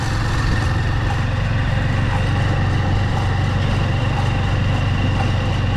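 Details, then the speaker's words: Honda Supremo motorcycle riding: steady low drone with a loud rhythmic metallic whir from the chain area, which the owner first feared was a bearing; the chain rides on worn sprocket teeth, fixed by replacing the sprocket set. "so narinig niyo naman yung napakalakas na ingay so hindi ko alam kung saan nangagaling yun mga idol no"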